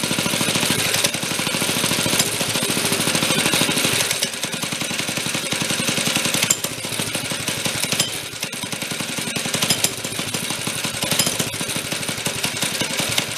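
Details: 1965 Corvair Monza SS go-kart by Rupp, stored for years, small engine after carburetor main and idle speed adjustment: idle smooth, but it runs rough and choppy at about three beats a second and stumbles when opened up.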